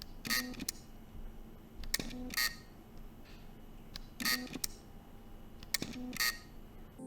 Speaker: if you are new to the X 100 V there will be a noise upon startup and shutdown of the camera where you will hear an electronic humming noise from the lens